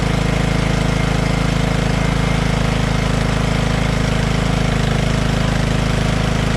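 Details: Poulan PXT12538 lawn tractor started after heavy rain, fuel shutoff reopened and oil checked; steady, regular low chugging at an even pace with no knocks or misses; nothing wrong with the tractor.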